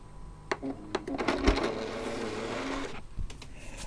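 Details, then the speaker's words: PS3 Slim disc drive with a known-good disc, mic placed next to the drive. It spins up with whirring and clicks, then grinds and clatters as the tray seems to move again, so it won't load. The drive was later found not connected inside. "It's doing like a weird second thing, like it's not loading. It's like it goes in and you hear the tray move again."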